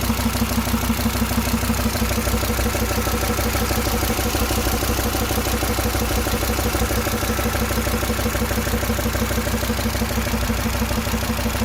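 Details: SsangYong Rexton at steady idle: regular sharp tapping about three per second over the engine note; internal engine knock.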